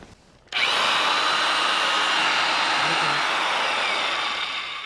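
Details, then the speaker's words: Heavy gear-reduction two-range corded drill, 7.5 amp motor, stiff range change, for big holes, low range forward: motor spins up, smooth even hum with steady gear whir turning slowly, no knocks or grinding; normal running at low speed. "You can see how low that, or how slow that turns."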